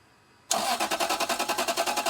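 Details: Lexus LS 430, crank but no start: the starter spins the engine steadily at about nine pulses a second with no cylinder firing; a spark tester is used next to check the ignition.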